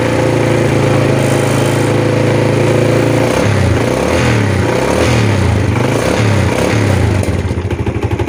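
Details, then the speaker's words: Yamaha Jupiter Z (Burhan)/Vega R New single, smoky, planned rebore/oversize: loose clacking knock about four per second at idle, louder at idle and reduced but present when revved; suspected con-rod big-end knock, engine knocking at idle. "saat Gas pelan ya stasioner itu bunyinya lebih kencang ya lebih apa kedengarannya Tapi saat digas dia enggak bunyinya berkurang ya"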